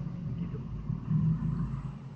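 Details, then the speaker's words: Household water pump motor (dynamo) sounding rough with water slow to rise; deep gravelly rumble swelling and fading under steady motor drone, blamed on a worn bearing inside the motor. "yang kasar gitu bearing atau laher"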